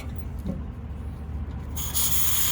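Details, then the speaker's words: Walk-in evaporator coil change (R-22 to R404a conversion), cut on the 7/8 suction stub: a steady low rumble, then a sudden sharp hiss as the cut opens and the nitrogen holding charge bleeds out the line. "the suction stub blows you want to be careful with this in case it goes blowing all over the place this piece right here can shoot out into the truck"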